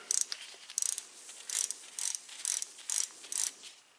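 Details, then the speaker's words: Shimano freewheel hub just overhauled and hand-spun off the bike: soft, dull, muffled pawl ticking in short bursts, quieter than normal because grease got onto the outside edge of the pawls. "i mean i can feel it but i can't hear it because some of the grease i had in there you know when i took it apart i saw it got on the uh outside edge of the paw"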